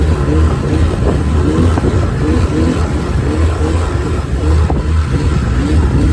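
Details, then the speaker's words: Dinghy outboard, back from the shop a third time after fuel line, tank, kill switch, plugs and carburetor cleaning and tuning, held at full throttle for a few minutes. It surges and sags about every half second. Owner suspects fuel feed or loading up. "you're about to hear the result of a dinghy motor that just doesn't seem to want to work properly after a few minutes on the high end."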